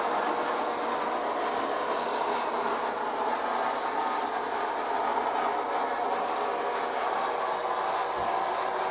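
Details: Eufy RoboVac 30C, reassembled after a loud grinding fault blamed on a crumpled gear: smooth, steady whooshing hum from the suction motor with no grinding or clicking from the brushes. It runs normally.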